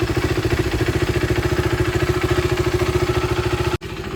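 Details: KTM RC390 after oil change, new brake pads and chain lube during rebuild: even, steady single-cylinder thump at idle, roughly three beats a second, no knocks or misses; normal idle.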